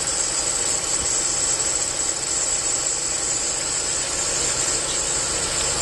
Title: Hissing sound